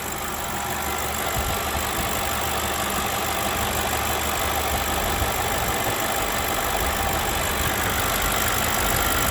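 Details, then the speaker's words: BMW 735i (7 Series) at idle, about 240,000–260,000 km, after adding ~30 litres of 100-octane fuel, car smoking: steady even idle with constant hiss, no knocks or misses; engine pressure normal, runs very smooth. "we have the normal pressure from the engine it's not crazy that's normal the engine has two hundred and sixty thousand or forty thousand kilometers so it's normal it's not too much that's quite normal and the engine runs very smooth"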